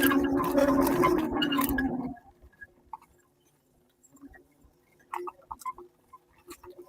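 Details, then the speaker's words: Ather 450X electric scooter: a harsh gurgling rattle for about two seconds, then faint scattered ticks; abnormal noise, cause not yet found, being taken to the showroom for diagnosis. "तो फिर guys यह कुछ आवाज आ रही है तो मैं इसका जो है सशन ढूंढने जा रहा हूं एटर शोरूम में"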